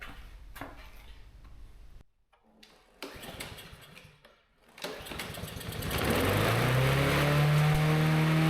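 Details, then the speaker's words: Yard-sale push mower, not run in an unknown length of time, started with spark confirmed and a little gas poured in; its old oil was nasty. Cranks a couple of times, catches, then settles into a steady, even small-engine drone; runs normally. "Okay, that one runs."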